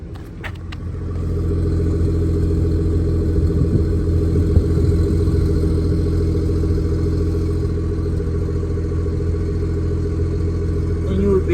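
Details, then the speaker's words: BMW G30 540i petrol just after DIY spark plug replacement, not yet warmed up: steady, even exhaust hum idling slightly high as normal cold idle, no misfire putt-putt. "you know it's still idling high right now because that's just how it is"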